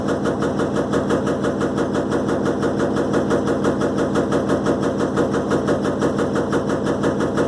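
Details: Electrolux LTE12 washing machine during a suspension test: a fast, even clatter of about two knocks a second rattles steadily through the spin, suggesting something loose in the tub or suspension.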